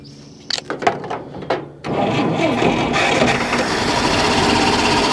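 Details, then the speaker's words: 1962 Dodge D300 petrol work truck started after sitting 34 years, fed fuel into the carburetor bowl, on choke: after a few sputters it settles into a steady, even idle with no lifter ticking. "that sounds so good guys it's silent there's no lifter ticking"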